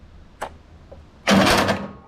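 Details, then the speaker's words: Older Briggs & Stratton Sentinel by Murray ride-on mower, non-starter: click then short high whirr with no cranking rhythm; starter motor works but its rounded-off drive gear spins free without engaging the flywheel, later replaced with a drive gear repair kit. "the main problem that I found was this little bit here the drive uh for the starter motor so the starter motor was working um it was just as you can see it's all rounded off here and so that's obviously why it wasn't starting"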